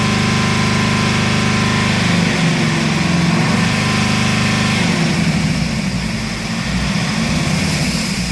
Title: bruit moteur chaud arret mercedes c270 cdi bridage 3000 tours